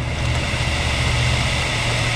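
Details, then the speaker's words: Dell Inspiron N4010 laptop (Core i3) cooling fan, removed and bench-powered from a power supply after overheating shutdowns; smooth, steady whir with no ticking or scraping, bearings sound good; a piece of dirt likely blocked the blades, fan only needs cleaning. "that fan sounds good so um really there's nothing wrong with this fan it just uh needs to be cleaned up and put back in the bearings still sound good"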